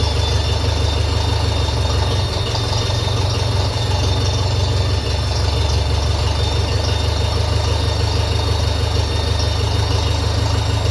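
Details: 1957 Ferguson FE35 TVO tractor at idle after a quick tighten: thin, high, constant whine over the idle. Owner suspects an air leak.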